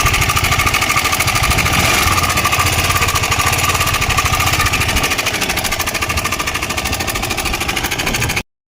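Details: KTM Adventure 250 engine before repair, brought in for engine noise: rapid, even metallic clatter over idle, loudest up top; head cover opened, timing chain found slack, lifting by hand; timing chain rattle.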